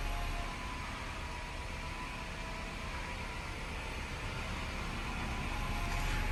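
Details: BMW Mini after cleaning a blocked VANOS solenoid and clearing the code: steady, even idle with a low hum and no hunting or misfire; it previously hunted and tried to cut out once the auto choke went off.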